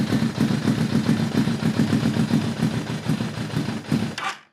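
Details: Kawasaki ZRX1200, Keihin CVK carbs refitted after needle changes, no enricher: rough, uneven firing around 200 pulses a minute that stumbles, then cuts out, with no intake impulse, as if there is no slow circuit; poor running, cause unresolved.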